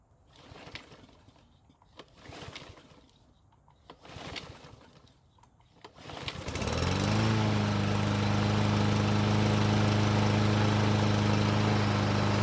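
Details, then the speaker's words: Murray self-propelled lawn mower that would not start even with fresh gasoline, run again on its old fuel: several cord pulls, then it catches and holds a smooth, steady hum; normal running. "so it did take a couple of PS but it finally started and ran the best part is the self-propel works and the engine sounds great"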